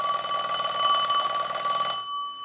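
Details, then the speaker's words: Western Electric rotary desk Princess telephone, checkout after repair, rung from the analyzer since the bell was one of the faults: bright, steady metallic ring about two seconds, clear and even; bell ringer working normally. "We're going to use the analyzer, but we're going to let it ring a few times because that was one of the issues, the bell."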